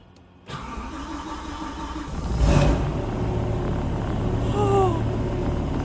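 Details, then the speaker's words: BMW E92 M3 swapped to an S85 V10 with a MaxxECU and DCT gearbox, on its first start after wiring and injector checks. Cranks briefly, catches first try and settles into a smooth, even idle. "It runs! Running smooth as anything."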